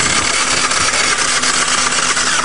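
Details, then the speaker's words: Geo car engine cranking after dirt, rocks, gravel and coins were deliberately fed down the intake. A fast, even starter spin with no compression beats, turning far too freely; compression is lost. "now let's see what she sounds like no compression we've done her in"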